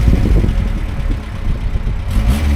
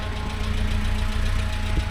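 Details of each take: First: Talbot Express motorhome with a valve the owner blames for heating and temperature trouble; engine picks up quickly on blips and settles back without hesitation or flat spots, no rev gauge; throttle much more responsive now, normal. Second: Talbot Express motorhome with a valve the owner blames for heating and temperature trouble; steady, even engine hum sitting a little quicker than normal tickover; idle set slightly high, owner plans to lower it.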